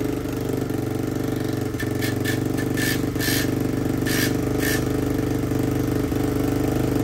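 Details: Yamaha Raptor 660R single-cylinder ATV with a new top end, adjusted valves, new battery and no air filter. Steady, even idle thump echoing off a tree, with a few crisp throttle blips and no knocks or misses; normal idle.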